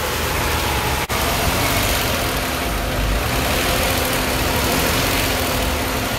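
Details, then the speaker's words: Kia Stinger GT GDI engine at light fast idle during intake valve carbon cleaning through the catch can/PCV line; even roar with brief stumbles, the normal sputter as cleaner is drawn in. "it does seem like it's making a sputtering sound like it's going to stall is normal"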